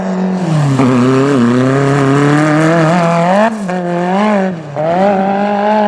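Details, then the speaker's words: Magnum super buggy race car V8 on track after float adjustment: pulling hard, then revs stumble and break up coming off the bottom near full throttle; fuel starvation, a leaking fuel line found afterward. "oh no he's done quick this time breaking up like coming off the bottom and close to the floor"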